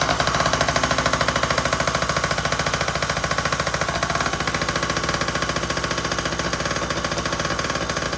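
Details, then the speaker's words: Yamaha PW50 two-stroke: rapid uneven popping about three pulses a second, stumbling and sagging instead of revving out, bogging under throttle; owner hopes it was from fuel being shut off, cause unconfirmed. "That's the bogging out."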